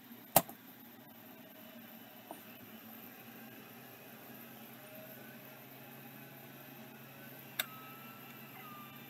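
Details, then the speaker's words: Late-model Singapore-made 6426S vintage hard drive spinning up: faint steady, really quiet spindle whir with a few sharp seek clicks; appears to be working, healthy. "that one might be working really nice quiet spindle on this one too"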